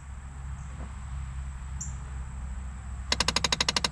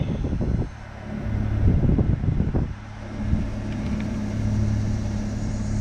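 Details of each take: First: Dodge Caravan cabin with door open: quiet, then sudden rapid loud clicking about a dozen per second from the failing temperature blend door actuator, gears skipping; actuator being replaced. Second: Dodge Caravan after replacing the faulty HVAC blend-door actuator that was knocking and clicking under the dash; AC and heat working, steady low blower hum, no more knocking; another actuator may still need replacing.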